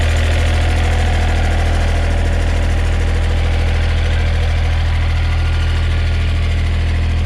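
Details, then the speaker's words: John Deere 1545 Series II 4WD diesel tractor idling with hood open: a steady idle with a regular light metallic rattle about four times a second; thought to be the exhaust rattling at its springs, source not confirmed. "I I think that's just the exhaust rattling right there where you can see those Springs but that's just me"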